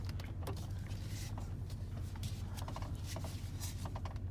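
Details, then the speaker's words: 2001 Dodge Ram power steering after fixing low fluid: steady low engine rumble while turning the wheel, steering easier, no more grind or squeal. "absolutely no more grind at all nothing so that in this case appeared to be the problem"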